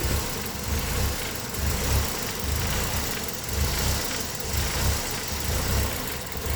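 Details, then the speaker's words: Engine with code P0400: idle swells and sags in a slow, uneven lope about once a second; vacuum-leak tests failed and vacuum stayed around 11. Cause: EGR valve stuck open, not flagged by its lift sensor. "Like, unless the valve itself just failed. No. It's just broke. It's definitely stuck open though."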